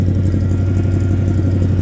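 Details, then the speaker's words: Crew cab just after cold start: loud low steady idle with slightly uneven lumpy beat and clatter, firing on most cylinders, lots of smoke; owner suspects possible head gasket; rough running. "it fired up actually pretty good it's running nice running nice it actually sounds like it's firing on most of the cylinders"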